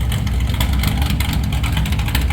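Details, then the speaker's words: Stock 440 Mopar big block from a camper, in a Chevy K10, with the biggest cam that fits: rough, uneven rev with choppy, stumbling firing pulses. Misfiring a little, suspected from plug wires with bad spots, made worse by handling; new wires planned. It ran okay when brought in. "It is misfiring a little bit. Like I said, we need to get new plugs. Or new wires, I mean."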